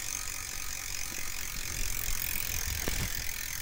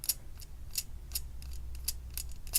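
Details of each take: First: Team Fuji bicycle, rear drivetrain after cleaning the rear derailleur and re-tensioning the cable, which seems to have fixed a loud cricket-like squeak: even, light freewheel ticking and a smooth chain run, with no squeak or chirp. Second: Rear bicycle derailleur removed from the bike and its jockey wheel spun by hand: sharp high chirps about three per second. Something appears caught in this pulley, which is suspected as the squeak source before disassembly.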